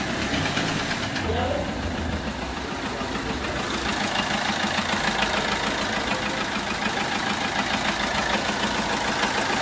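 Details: Peugeot 1.3 HDi diesel idling: uneven, regular ticking puff about three times a second over the clatter, like a leaking injector, but a bent valve not fully closing is losing compression.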